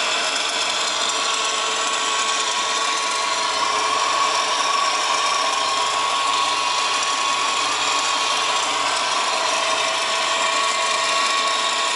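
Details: Subaru WRX GDB at idle: constant dry, rattly whir with a faint thin tone, steady throughout; strange noise traced to a worn A/C idler pulley bearing.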